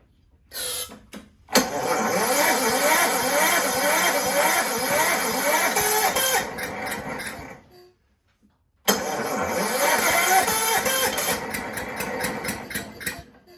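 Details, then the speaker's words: Toro Recycler 6.5 hp push mower, soaked plug swapped for a known good one: pull attempts spin the engine and it sputters but can't get over compression. Low compression from a leaking exhaust valve. "it's like it it's it just gets there and just can't get over the hump that compression doesn't feel the best"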